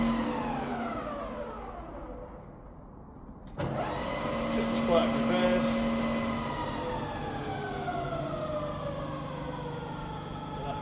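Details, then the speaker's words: Rebuilt Bridgeport milling machine, spindle in reverse, low range: quiet, even gear hum with steady tone, no knocking or grinding; normal operation in reverse. "Back down to 60. So you listen to that for a second. It's all bob on."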